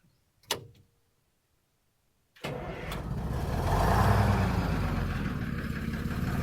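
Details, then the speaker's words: American LaFrance 700 Series fire engine, Detroit 6V53 two-stroke, after tuning, service and new fuel lines: short starter whirr, pause, then catches at once into even strong idle, no misses; runs great. "This thing runs great. Gotta love that sound. Good old Detroit. 6V53."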